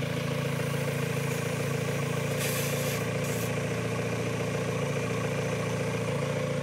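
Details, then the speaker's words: Mazda Miata at idle with a vacuum hose pulled off to create a leak: steady low idle turns slightly uneven and lumpy with a brief hiss; rough, stumbling idle from a small vacuum leak. "whenever i pull off one of these hoses to introduce a big vacuum leak you'll hear that it will change it'll kind of rumble stumble a little bit"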